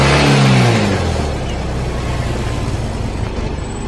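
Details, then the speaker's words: Yamaha Mio M3 fuel-injected scooter that stalls, lacks power and won't idle, after adjusting the gas screw linked to the TPS: revs sink gradually for over a second after throttle closes, then settle into a low, slightly uneven idle; return-to-idle delay remains. "when the gas is opened, when it is closed, it immediately closes and the RPM comes back straight away, it's not on the screen because There's still a delay when the gas is closed."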